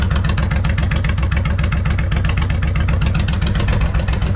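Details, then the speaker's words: Suzuki Intruder 1500 VL V-twin, sat for years, after carb and throttle position sensor cleaning: even, deep loping idle, both cylinders firing, no misses, sounds normal; clutch plates possibly worn. "yeah she's a happy bike [Music] sounds pretty normal"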